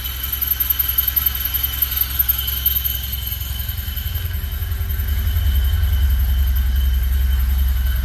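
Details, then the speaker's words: 1974 Alfa Romeo Spider Veloce, 10K original miles, after 30 years' storage and fuel pump repair, warming up without air cleaner: even steady low thumping at idle, no knocks or misses; normal idle. "Gonna let it warm up for a while. I'm running without the air cleaner. It's idling pretty nicely."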